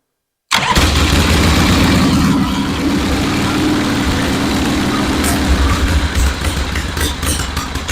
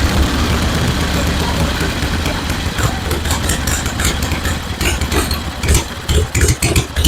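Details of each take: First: 1974 Harley-Davidson Ironhead Sportster chopper, earlier fixed for a no-spark problem, started with a battery charger connected: an uneven, stumbling V-twin idle that sounds about to die. Rough running with an intermittent misfire; an ignition cutting out is suspected. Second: 1974 Harley-Davidson Ironhead Sportster chopper after ignition work restored spark: deep, loping V-twin idle with an even, steady beat; sounds much smoother and healthy.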